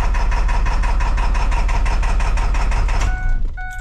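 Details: 7.3 Power Stroke in a small 450 bucket truck that starts, runs normally three seconds then idles rough with no power and no smoke: heavy loping idle thump about three per second; two bad injectors, number four losing oil pressure.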